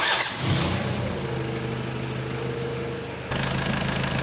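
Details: Skid steer diesel, first start after a charging-system part was installed: it catches within half a second and settles into a smooth, even idle. Voltage rises from 12.7 to 13.8 with revs, so it is charging.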